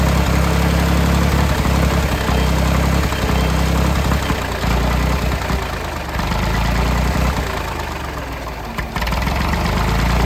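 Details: Late-1960s/early-1970s Massey Ferguson 2200 forklift, Perkins 3-cylinder gas engine, first run after 23 years: fairly fast, slightly uneven chug that never drops to a slow idle. The throttle won't idle down, and the choke is mostly closed so it isn't running wide open.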